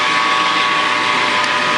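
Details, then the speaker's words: Grizzly G4003 lathe running at higher rpm after a loose pulley was found as the cause of its long-standing rattle, not the gear train: smooth, even hum with a steady clean whine, no rattle or knocking, quieter than ever; normal running. "lright quite honestly I think that I think that pulley has been acting up for quite some time because it's the quietest I think that this thing has drawn brands that's day one anyway songs a lot better than it ever did"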